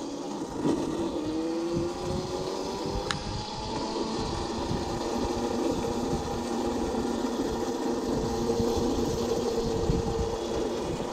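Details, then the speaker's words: Old Burg electric go-kart, car alternator converted to brushless motor, 36 V 500 W, 36 V 18 Ah lead-gel batteries, chain refitted: continuous whirring chain rattle rising and falling with road speed; cheap transmission making lots of noise. "je les garde la vache la transmission n'est pas terrible et ça fait beaucoup de bruit transmission pas cher"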